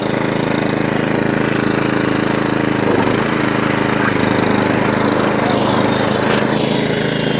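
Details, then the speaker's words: Atco Balmoral 17SK cylinder mower after fuel tap leak fix, off choke at full revs, grass box off: steady engine beat with cutting cylinder whirring smoothly and drive engaged, no grinding or bumping; healthy. "i took the grass box off you can see the cylinder working here's your drive no grinding no bumping"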